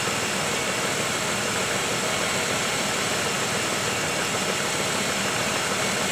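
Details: 1995 Oldsmobile 3800 first start after timing chain and timing cover service, coolant being bled, warming toward about 160 degrees with thermostat opening: even, steady idle hum with soft hiss, idling down, no knocks or ticks; normal warm idle.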